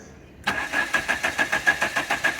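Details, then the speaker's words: 1985 Dodge Daytona Turbo barn find, sitting about 21 years, starting fluid sprayed, wiring unchecked: starter cranks steadily at about five turns a second with no firing at all; cranks but won't start; spliced Hall effect sensor wires suspected. "So it's still just cranking. It's not even trying to pop."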